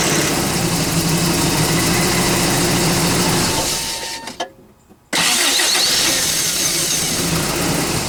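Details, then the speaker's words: Normal starter cranking on a 22RE Toyota truck with the existing starter, before swapping in a 20R starter: even, brisk whirr about three turns a second, steady until release; healthy starter spinning the engine normally. "oh actually I guess I'll show you guys how it cranks in just a second okay this is the starter sound that it has"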